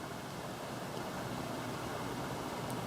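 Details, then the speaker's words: Fairly new Friedrich HVAC unit with a horizontal fan, heard from across the hotel room while running: a soft, even airy hiss with a faint steady tone, no rattles or clicks. Quiet white noise, normal operation. "you can hear it's pretty quiet it's just a little white noisey a little white noise in the background I can probably sleep through"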